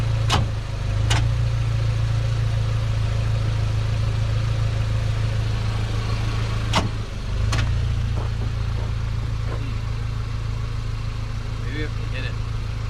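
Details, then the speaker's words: Lowered 1988 GMC Sierra 3500 dually, carbureted V8, cranking no-start: steady starter whir with uneven compression beats about three a second, never catches; it had run only on starter fluid, and the fuel pumps were being rewired. "well it ran only on uh starter fluids so yeah so we gotta figure that out"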